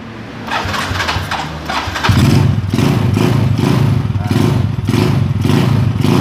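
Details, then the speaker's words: Motorcycle after its ignition was upgraded to give a much bigger spark, with the plug cap refitted: the engine catches after a couple of seconds, then settles into a stronger, even beat with crisp revs and no misfire. "Nah, Anda bisa dengar suara gasingan mesinnya menjadi lebih gahar."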